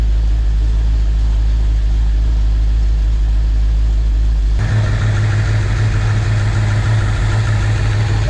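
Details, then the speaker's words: Dodge Dakota R/T 5.9L 360 Magnum pushrod V8, first start after Comp Cams high-lift camshaft and timing cover install: deep low rumble idling evenly with slight lopey beat, no ticking or misfire; normal idle. "even though burning off all that gas because it's running nice but"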